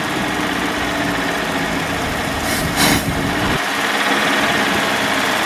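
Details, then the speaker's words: Roaming Home motorhome, sat over 20 years, rebuilt 1-barrel Rochester carburetor, fresh gas via electric fuel pump, manual choke: fast, steady idle on choke, even hum, brief louder swell midway, no knocking or smoke; normal idle. "listen to this thing man it's awesome so cool"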